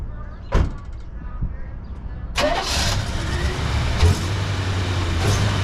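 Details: 1968 Oldsmobile Delmont V8: short quick crank, catches cleanly and settles into a steady even idle with no valve ticking; normal start and idle.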